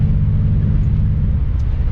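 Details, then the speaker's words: BMW E36, 216,000 on it, original coils, plugs previously looked good, driving: deep, lumpy rumble with uneven exhaust beat, shaking and no power; owner suspects injector or ignition, hopes coil. "i've either got a bad injector or i got an ignition issue so last time i pulled the plugs the plugs looked good but i've never changed the coils in this car"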